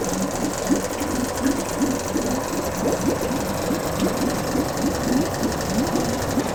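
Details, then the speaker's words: Two-stroke Yamaha 5 outboard, motor No. 2 of three, checked after No. 1 worked well; cooling water clean. Even, fast buzzing rattle at steady speed, no misses or knocks; running cleanly. "The motor was checked and it works well. Now we will check motor No. 2. The water is clean."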